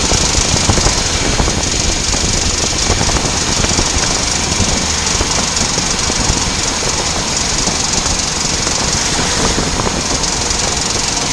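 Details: VW Passat B8 off throttle in first or second gear, 2000-2500 rpm, below 15-20 km/h, absent in neutral, worse turning right: rapid rattling tick; worn outer CV joint, replaced and noise gone.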